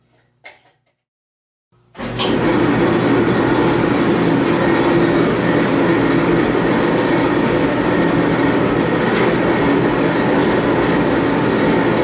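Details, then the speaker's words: Admiral AED4675YQ1 clothes dryer after replacing heating element, thermal fuses, thermostats, tub bearings, belt and tensioner: steady, even tumbling rumble with no squeal or thumping, bearings sounding great and heat working; normal running. "the bearings are all sounding great uh the heat works"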